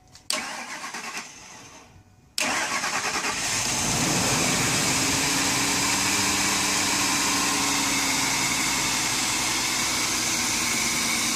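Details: Ford Expedition 5.4L V8 after PCV valve vacuum leak repair for P0171/P0174: starter turns briefly, pause, then catches cleanly and settles to smooth even idle, no hunting or misses; normal start and idle.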